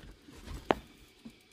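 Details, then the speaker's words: 2002 Renault Master campervan hot water heater: two sharp dry ticks about half a second apart as the spark igniter fires until the gas flame lights; normal operation. "I don't know if you can hear the ticking, but it's like a ticker that a spark that ticks until it lights up, just like a gas cooktop sort of thing."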